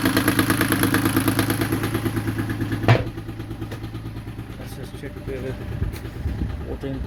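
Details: Yanmar 3GM30F inboard diesel on a sailing yacht that did nothing when the start button was pressed; starter circuit fed with heavy wiring bypassing the master switch. Diesel catches and settles into a steady, knock-free idle; the master switch is to be replaced.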